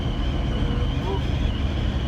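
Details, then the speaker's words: 2013 Renault Clio 4 at 106 km/h: a heavy low rush in the cabin with a faint steady whistle, mostly from the right side, which the dealer attributes to missing trim insulation needing strips removed and insulated. "ses genelde aracın sağ tarafından geliyor. Solda da var ama hızımız şu an çok fazla değil."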